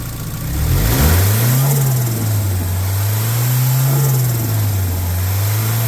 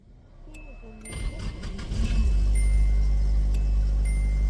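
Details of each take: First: Nissan S12 with SR20DET turbo swap, exhaust joint to turbo dump pipe sealed with JB Weld, gasket and exhaust paste; revs rise and fall back to steady idle, deep even note, no hiss or puffing leak: normal exhaust, sounds much better. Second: SR20DET-swapped S12 idling after sealing the exhaust-to-turbo dump pipe joint with JB Weld sealant and gasket: loud raspy puffing idle with extra exhaust rasp; exhaust leak remains at a hole in the muffler, exhaust felt by hand.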